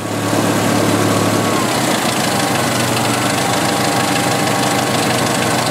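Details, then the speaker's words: 1986 Jeep XJ 2.5L petrol engine at idle sags to a lower, rougher beat, a 250 rpm drop, as a vacuum leak opens; valve cover swap left crankcase ventilation (CCV) set up wrong, engine running very lean with skewed fuel trims. "measured that that's a 250 rpm drop that's not good"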